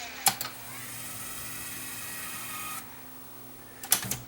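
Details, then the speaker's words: Luxman KX100 cassette deck, repaired motorized door: short whirring motor run about two and a half seconds ends in a crisp click as the switch stops it dead, then a brief kick; panel working properly. "so there it is the switch stops right there stops it dead and then it just kicks it a little bit"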